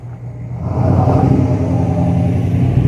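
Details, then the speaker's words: 6.5L turbo diesel pickup with straight-piped exhaust, test drive after replacing passenger-side exhaust manifold gasket: deep, steady rumble swelling as the engine pulls, no ticking at idle or under load; manifold leak fixed, exhaust normal. "so as you can probably imagine that definitely took care of that little uh ticking exhausts escaping the manifold sound so so my exhaust is back to being as loud as it should be"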